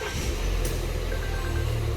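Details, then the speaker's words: 2019 Volvo XC40 at idle: dull rubbing rattle from the front of the engine over the hum, seeming to come from between the alternator and the belt tensioner; worn alternator pulley with play, its loose spring rubbing; metal strike marks near the chassis. "O barulho lá na frente, galera, depois que a gente desligou aqui, o barulho parece ser entre o alternador e o esticador ali, né?"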